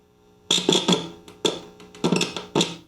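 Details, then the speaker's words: 1960s Accurate signal tracer at max volume: speaker hums, loud buzzing bursts when a screwdriver touches the audio input, fading between touches; amplifier stage working. "So I'll turn the volume up to the max, which would be this way. Oh, I can hear the speaker humming."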